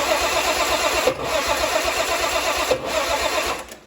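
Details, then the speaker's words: Turbo 170 Slant Six with Atomic EFI that previously started: starter grinds in a steady fast cranking rhythm with no catch; starter hot, three batteries tried; owner suspects the EFI ignition timing. "why will this thing not run now yes it started like crap before but it always started and then it ran pretty well and now it's just full of hate"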